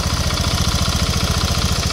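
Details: Honda Vario 150 scooter after a starter fault, traced to the switch rather than the button, cables or starter relay, was bypassed by jumpering: steady, even low putter with regular firing pulses and no misses or knocks; idles cleanly.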